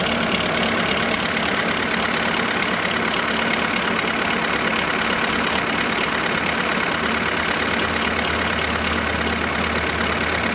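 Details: 2005 VW Polo 1.4 petrol, 84,810 miles, idling with a light, fairly regular clicking about three a second over the hum; cold and hot engine shown, source unidentified.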